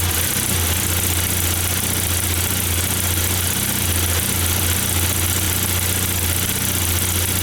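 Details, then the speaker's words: 1994 Saab 9000 non-turbo 5-speed, injectors rebuilt, vacuum leak plugged, new battery: idle rises and falls about twice a second, hunting; data stream looks good, owner suspects throttle position sensor, cause unconfirmed. "everything in the data stream looked good i don't understand why it's surging"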